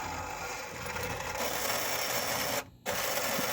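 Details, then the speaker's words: Demolition Man pinball elevator mechanism, previously sluggish, after a connector found inside the housing was fed out. Steady motor whir with light chatter as the elevator cycles up and down without struggling. "good news is that the elevator is going up and down and seemingly without struggling so that's a good thing"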